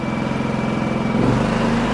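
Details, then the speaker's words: Champion 4500 W dual-fuel inverter generator with eco mode off: steady idle then clean step up to higher even speed; normal rev-up. "eco mode off you can hear it rev up and it doesn't change as much when you turn this on about the same RPM but you can tell there's a little bit of a load on it"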